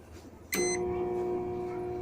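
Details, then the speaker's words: Microwave oven giving a short start beep then a loud, harsh, steady hum while not heating; shorted high-voltage diode. "esse barulho pessoal é essa pecinha aqui tá em curto tá bom"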